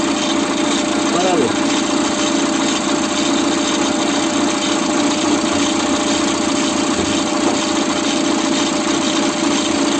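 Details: Citroën C4 petrol engine idling: rhythmic rattling whirr from the timing belt area; with the cover removed the tensioner pulley was found oscillating heavily, the suspected source.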